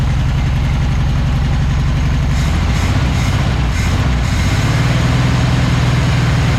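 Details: 1976 Volkswagen Beetle with '40 Ford kit, sat for years, running on its carburetor after the fuel pump sucking air was fixed; steady, even low idle with no misses, stumbles or knocks, normal idle.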